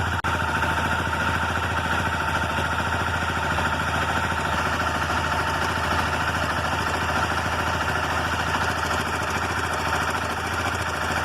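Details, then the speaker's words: Motorcycle, cold engine at idle: fast, dry metallic rattle over the engine beat, like loose chain slap, similar to loose valves; cam chain noise. "Então aqui essa motocicleta, ela está fazendo barulho de corrente de comando. A motocicleta está funcionando perfeitamente, mas depois começa a fazer o barulho aqui de corrente de comando."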